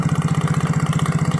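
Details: Yamaha Mio J scooter idling with a fast, even klotok knock, about a dozen beats a second; not the one-way gear, a loose spark plug is suspected as the cause.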